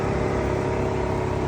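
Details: 2023 VW ID.4 Pro S with A/C running: steady whirring hum with faint constant tone, a bar vibrating and condensation on a hose; owner suspects compressor noise, source not pinned down.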